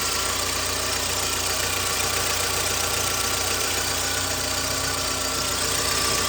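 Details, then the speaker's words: 2009 VW Gol G5 engine running on Castrol GTX 20W50 mineral oil, not recommended for it: steady idle with harsh busy clatter about four beats a second; abnormal engine noise at idle, owner suspects the oil. "aí eu vou dar partida que se vai ver o barulho que ele vai fazer se é normal o gol"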